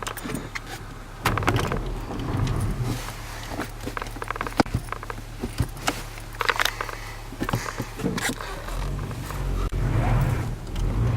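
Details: 1994 Audi 80, low engine hum broken by irregular dull thumps and knocks, turned out to be broken engine mounts.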